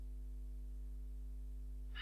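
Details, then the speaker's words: Laptop mic recording through the headphone jack with the charger plugged in. A low, steady, slightly buzzy electrical hum under silence, picked up from charging; unplugging the charger removes it. "it makes a slight very subtle hum that's somehow picked up by the microphone jack"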